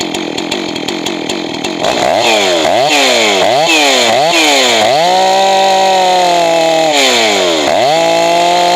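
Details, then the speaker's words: Johnson Red 670 chainsaw with rebuilt Tillotson two-stroke carburetor: revs climb to thin screaming lean pitch, then drop lower and burbly as high-speed mixture is richened; should end slightly rich since lean worsens with use. "And you want it to be a little bit on the thick side when you're done. If you're too lean, it's going to lean out more after you start using the saw."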